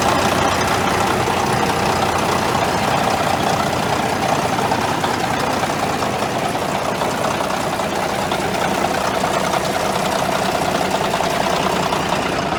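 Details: Caterpillar D9G dozer, sat for years, started with 24-volt glow plugs after hand priming: deep, even diesel idle at about three beats per second with a steady clatter, holding speed. Normal diesel idle.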